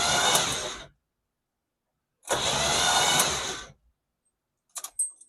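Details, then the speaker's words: 1977 El Camino sitting for 10 years, cranking with spark plugs out after blowing debris from cylinders: two high-pitched whirring bursts with no compression beat; owner suspects the starter hanging up. "Sounds like maybe the starter's hanging up or something. I'm not 100% sure, but what do you guys think?"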